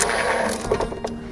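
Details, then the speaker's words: Neta S electric car, about two years old with over 80,000 km, rear 'rolling balls' noise while driving, dealer blamed the motor; on the lift, wheels spinning: loose metallic rattling clatter fading as it slows; worn bearing inside the differential. "经过我们检查，这个异响的主要原因呢，来自于这个差速器里面的轴承。"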